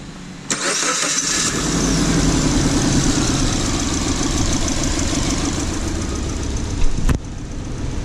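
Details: 2009 Suzuki Jimny after catalytic converter replacement for blocked exhaust causing low power and rich idle, post-repair check: cranks, catches and settles into steady even idle, no misses, knocks or rattles.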